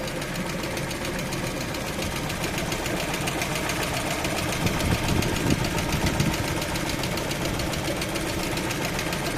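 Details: Lada Vesta engine during warm-up, cold idle: uneven knocking at about two per second, loudest midway through; engine knock while warming up.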